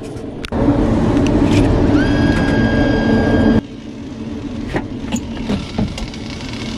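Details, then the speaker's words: Direct-fired CaptiveAire make-up air unit: loud blower rush with a thin, steady high belt squeal. Alignment was suspected but the bottom pulley was only slightly off; the belt was to be aligned and tensioned. "can hear the belt going, making noises. That's why I think the alignment's off."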